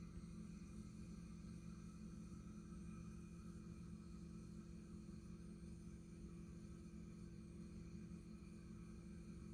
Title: Rheem Performance Tankless Electric Water Heater making noise no water on